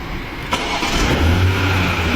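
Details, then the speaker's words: 2021 BMW X6 with B58 engine, owner reports intermittent no-start with codes 216119 and 35A100 (starter not actuated by BDC), battery above 12 V. With a test lamp on the white starter 50 control wire, about ten attempts all start on the first try. A brief starter whir, then the engine catches at once into a smooth idle. "结果打了10来次，都是一把着。"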